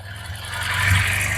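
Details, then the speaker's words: Bajaj Discover 150 with its faulty sensor-based automatic choke rewired to a manual switch, switch pressed on: idle climbs smoothly over about half a second and holds higher and steady; choke raising the idle as intended. "तो theoretically अब क्या होना चाहिए, जब मैं इसको press करूंगा तो आरपीएम बढ़ना चाहिए, और वो कंटिन्यूअसली तब तक बढ़ा रहना चाहिए जब तक मैं स्विच ऑफ नहीं करूंगा।"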